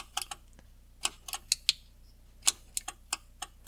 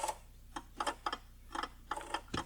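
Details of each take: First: 1975 Jaguar XJ-S with Lucas electrics, after sitting for years: sharp dry ticks in a quiet room, uneven at first then about three or four a second, the hazard flasher stuck on; bad connections in the fuse box, hazard button needs replacing or rebuilding. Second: Early Jaguar XJ-S V12 after long storage, Lucas electrics; irregular bursts of rapid sharp clicks in a quiet cabin as climate-control servo relays chatter from poor contact at twisted fuse number 11.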